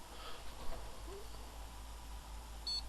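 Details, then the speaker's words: Flea-market PC with both RAM slots tested, slightly noisy fan: one short high POST beep over quiet fan hum, then nothing more; clean power-on self-test and normal boot. "one bleep yeah no beautiful device found okay so that's a good one"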